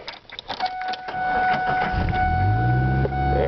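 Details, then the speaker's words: 1997 Ford Ranger 4-cylinder manual, 290,000 miles, starting and idling; brief cranking then steady even idle with no knocks; runs fine, though when hot the owner reports it won't go into gears, first and second worst. "It runs alright. It shifts okay."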